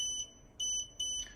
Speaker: will beep continuously for the amount of month of amount of time that is set on settings typically for about two minutes to alert the driver to report a camera down